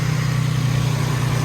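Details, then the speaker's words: Nissan 350Z after an oil change, new serpentine belts and intake: steady even low idle with smooth pulse, no knock and no belt squeal, though belts seem to loosen slightly; normal idle. "let's get out you can hear everything's okay okay not knocking before you guys [ __ ] bash me for that it's not knocking okay"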